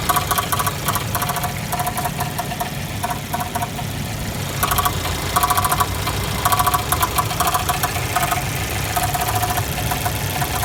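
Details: Jeep Renegade 1.4L turbo idling with a sharp metallic tapping knock that comes and goes in bursts; it happens all the time and the dealer cannot identify the cause.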